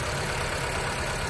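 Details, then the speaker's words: 2007 Honda Civic with a misfire: pulling a good cylinder's ignition coil at idle makes the engine turn rough and sag as if about to stall, confirming that cylinder was firing; cylinders 1 and 4 good. "there is also a change in cylinder 4 so these two are good cylinder 1 is good as well"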